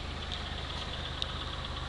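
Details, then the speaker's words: 2000 Pontiac Grand Am GT, 3.4 V6, badly overheated by the previous owner. A light, quick knock at idle with smoke. Owner suspects a scored piston or rod; the engine is to be pulled. "kind of hear it Knocking a little bit I don't know if you can hear that a little bit of a knock so he he overheated her pretty bad"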